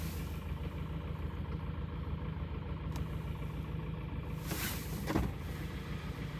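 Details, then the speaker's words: 2011 Kia Optima G4KD 2.0 petrol, 127,000 km, idling cold: dull, slightly uneven knock about twice a second, piston slap from scuffing starting on at least two or three pistons, not yet severe; engine to be torn down for piston rebuild. "вот сейчас хорошо слышно поршнями ляга кля там не один поршень Судя по звуку там два-три минимум есть"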